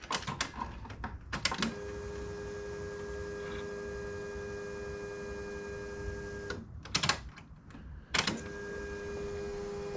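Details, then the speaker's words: Project Zero 24 after tank cleaning and replacing the external pump/filter assembly with a Holley drop-in pump, key-on prime: quiet, steady single-pitch pump hum, air bubbles cycling, much quieter than previous pumps; no leaks, healthy priming. "Wow, already I can tell that's a lot quieter than the last pumps, and I could hear it up here. Let me grab the light. I can actually hear the air bubbles in the system cycling through."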